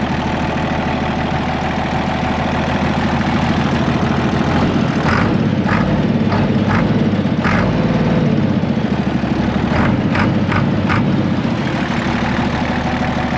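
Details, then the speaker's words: Case 1175 tractor (Desert Sunset 70 series) parked since about 2012: steady, deep, even diesel idle, light clatter, no knock or miss, hint of turbo whistle, normal haze; throttle cable sticky; running healthy. "But dang, it sounds good. We got the normal case haze. I can hear just a hint of turbo whistle, so that's good."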